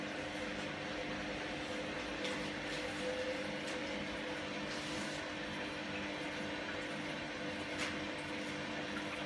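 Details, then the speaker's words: Candy GVS169D3/1-80 Grand O Vita 9kg washer, empty, after motor-controller triac replacement fixing error E09: 1200 spin program, load distribution then pump back on; even motor hum, faint whine, no knocking; normal spin. "you can see what the spin 1200 sounds like so now it's kicked into what it presumes the load distribution and the pumps come back on again"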